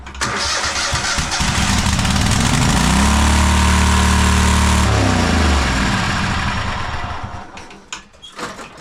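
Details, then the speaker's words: Cub Cadet Super LT1554 lawn tractor, 27 hp Kohler V-twin, 500+ hours, after head gasket replacement: fires and climbs to screaming high speed, holds, then dies; runaway engine right after governor linkage reset at full throttle. "we got a runaway. I love making governor adjustments."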